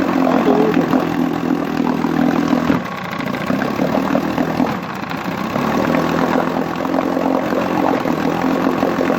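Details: 1959 Johnson QD-20 10 hp outboard running in a water pail after cleaning the points and plugs (new coils found) and resetting the coil air gap: steady, even two-stroke buzz with no misses or stumbles, running cleanly.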